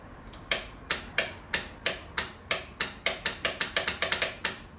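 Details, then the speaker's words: Radiator fan relay chattering with sharp dry clicks speeding up from about two to six a second and no fan motor running; caused by a disconnected ground wire, not a failed fan. "Alright, so the relay is clicking. Is the fan finally had it or what?"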